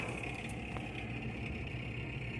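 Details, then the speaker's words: GE top-mount refrigerator: steady high whirring tone over a low running hum that never changes; evaporator fan motor going bad, to be replaced. "noise refrigerator complaint look like we got a evaporator F going bad pretty simple to change"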